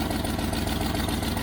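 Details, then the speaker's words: 1989 Range Rover Vogue SE V8, cold start, radiator low: even idle with a regular puffing tick on each firing pulse. Exhaust manifold blow, later repaired. "We might have a blow on the exhaust. Radiator low. A blow on the exhaust. There's definitely a blow on the exhaust."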